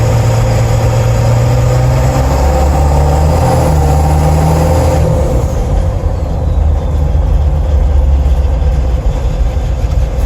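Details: Ford 7.3 Powerstroke diesel van driving, phone by the doghouse: loose metallic rattle comes and goes over diesel drone, goes away when accelerating; transmission also shifts a little strangely; source unknown.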